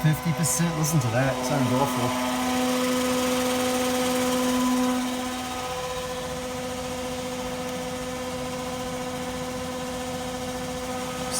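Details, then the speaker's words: Engine cooling fan driven by MS3/Megasquirt PWM output at 25% duty cycle, maximum 250 Hz switching frequency: a steady, low fixed-pitch electrical buzz with overtones. The slow PWM frequency makes the fan motor hum. "so let's go ahead and move that up to 25 percent duty cycle and you can hear the sounds range is actually driving the pan now but you can hear that hum to have voltage"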